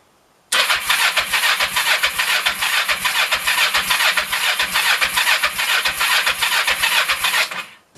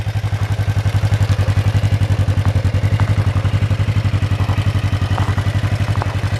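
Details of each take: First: 1996 Kawasaki Vulcan 500, cold, with half choke and fuel on reserve: the starter churns at about two compression beats a second for seven seconds without catching. Owner suspects it's too cold or the idle is set too low. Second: 1996 Kawasaki Vulcan 500 V-twin after carb work and reassembly, with about 3.5 quarts of oil: steady, even low thumping idle with no misses, knocks or rattles. Carbs are not leaking and it is not smoking; it runs well.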